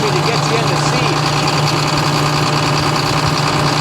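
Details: John Deere 9600 combine diesel at idle, blue smoke and diesel in the oil: an uneven, stumbling beat under a steady hum; infrared exhaust port temperatures show cylinder five cold and not firing, worn injector.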